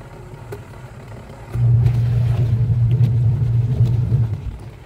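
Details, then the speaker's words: Top-load washing machine after gearbox/main gear repair (spinner removed, gearbox serviced): runs quiet with a smooth, steady low hum, no grinding or knocking, unlike the noisy spin before repair. "ayun boss oh walang kaingay-ingay kumpara doun sa"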